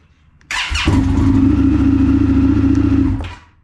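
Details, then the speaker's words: 2022 Indian FTR 1200 with a new NOCO lithium battery, at about 13 V, not yet fully charged and still on the charger: a brief crisp crank, it catches within a second, settles to a steady idle, then shuts off; normal, quick start. "crank so it did fire off a little quicker do it again so much quicker so this thing isn't even green the battery is not fully charged yet and the crank was almost instant"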